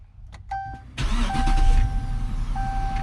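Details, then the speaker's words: 2018 AWD Dodge Charger police car after GPS tracker/fuel pump disable install: short crank, fires at once and settles into a steady, even high idle, no knocks or misses. "There we go. So, as you can hear, and I'll show you a picture of the dash here. As you can hear and see, we're running."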